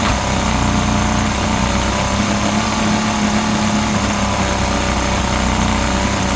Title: Yamaha 50d misfire